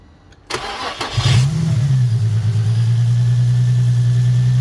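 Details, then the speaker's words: Nissan 350Z after replacing camshaft position sensors (code likely P0345, bank two) on both banks: brief starter whirr, then fires immediately and settles into a smooth, even low idle; normal quick start instead of long cranking. "once you're done the car is supposed to sound like this the normal sound just like"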